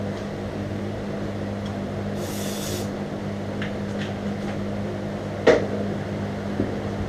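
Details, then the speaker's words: Volkswagen Beetle just fitted with dual carburetors, first start: loud, steady, deep raspy drone at idle like a Harley, with smoke, because the exhaust heat riser ports were left unplugged. "oh my god dude that is so [ __ ] loud sounds like a Harley all right I got to plug those ports"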